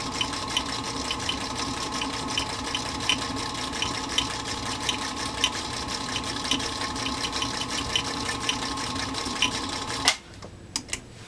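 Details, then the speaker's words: Singer Featherweight 221 whose motor nearly died after being oiled with the wrong lubricant, after repair, sewing on canvas: steady, even motor hum with a crisp needle tick about three times a second; sews smoothly and healthily. "we're just going to buzz around it a little bit and give this machine a chance to show its stuff after it was really really close to death"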